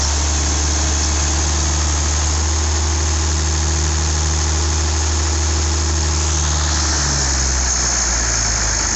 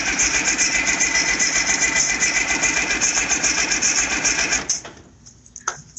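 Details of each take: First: IH 5288 tractor diesel at first start after finishing touches, injector lines bled with fuel to at least four: deep, even idle with a clean steady rhythm, settling lower before shutoff, better than in years; normal idle. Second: IH 5288 tractor diesel, first start after work, oil pressure up: steady fast starter churn about four turns a second with no firing. No fuel at the injectors yet because the lines were empty and air must bleed out.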